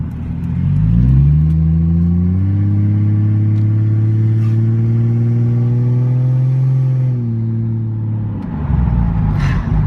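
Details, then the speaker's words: Turbo Lexus SC300 on its first drive after the turbo build: a strong, even pull with pitch climbing smoothly and the turbo spool audible under boost, with no knocks or misses. Some smoke on lift-off was suspected to be a cracked distributor. "But fuck yeah, it runs hella good. Loving it. And you hear that turbo spool when it's fucking hitting. God, it sounds so good."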